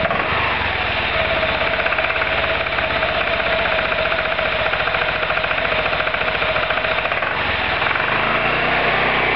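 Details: Roketa MC-54-250B scooter, 1730 miles since July 2008, stalling at every stop. Small engine revs up and down with a rapid, uneven patter and a sagging beat under braking, close to stalling. Cause: intake and exhaust valves had no gap at TDC; fixed by adjustment.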